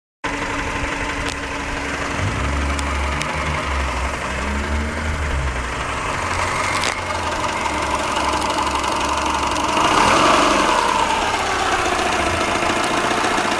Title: Стук двигателя SUBARU EJ-15